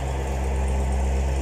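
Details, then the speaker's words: Chevrolet Corvette C7 V8 idling smoothly with no ticking or misfire after fixing P0300 misfire and valve train noise from a collapsed AFM lifter by replacing all valve lifters. "okay now the engine is running without any fire and without any noise we have we had a fix"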